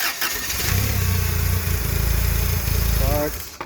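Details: Toyota 7 Series with 4Y engine: starts and runs lumpy about three seconds, then dies at any rpm. Distributor and plugs replaced without effect, originals refitted, ignition timing reset. Loss of ignition suspected, not confirmed.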